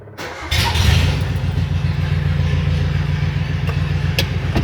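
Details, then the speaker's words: Carbureted Suzuki Vitara with an electric fuel pump replacing the leaking mechanical one, already run that day: short crank, catches at once and settles straight into a steady, even idle with no stumble; normal, clean start. "I have had this running today, that's why it started so nicely."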